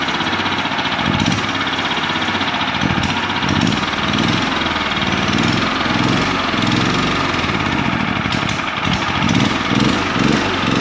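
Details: Champion 100812 generator (2019, 6,250 starting watts), used once then sat about four years and wouldn't start, during revival: small engine chugs slow and uneven with lumpy pulses; idle speed sitting too low.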